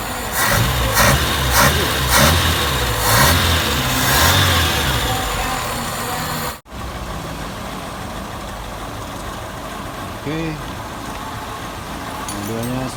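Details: Daihatsu Classy after a sudden stall on the road and a distributor conversion from points to CDI: after a few throttle blips it settles into a steady, even idle with no misses or stumbles.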